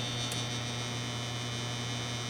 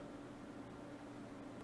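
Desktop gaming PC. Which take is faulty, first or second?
first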